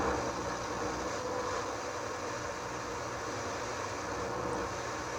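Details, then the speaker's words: Sony STR-230 receiver on FM tuned between stations: steady loud rushing hiss with no station; the stereo light comes on and the meter reads the noise; owner suspects a transistor breaking down and turning itself on. "See, the tuner is working, but in between stations we are getting this god-awful noise."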